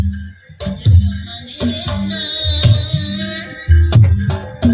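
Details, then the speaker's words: Polytron 8B22 active speaker via Bluetooth, the good (active) side: music plays cleanly and full with no crackle, hiss or dropouts; the other, passive side is faulty, hoarse, hissing or silent. "Nah, yang ini normal ya."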